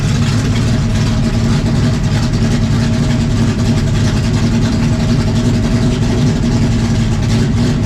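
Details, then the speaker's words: 1974 Dodge Charger 440 V8, about 422 hp, with stubby X-pipe exhaust, idling: deep, steady, loud burble with even lumpy rhythm, no knocks or ticks; normal V8 idle. "So I made it a little bit more mellow and idle, but when you wrap it up, it sounds like we're spinning like 2,000 RPM more than we really are."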